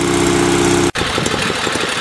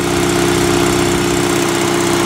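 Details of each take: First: Sears SS16 twin-cylinder garden tractor after warm-up, idle turned down from higher: low, steady putter with even beats from both cylinders and no misses or knocks; a smooth, healthy low idle. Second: Sears SS16 twin-cylinder garden tractor, winter cold start: loud, steady cold idle with a lumpy, slightly uneven beat about 2.5 pulses a second, smoking and running rich while warming; owner will fix the mixture later.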